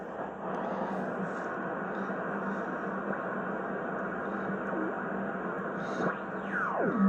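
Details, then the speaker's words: Hallicrafters SX-117 shortwave receiver after bandswitch cleaning and calibration, on 15 meters: steady, even band hiss with faint warbling FT8 data tones coming through cleanly, no crackle or dropouts. Normal reception. "There's FT8. And when you go to 20, it should hear FT8 also. So when I go to 20 and peak it up, that means it's calibrated well."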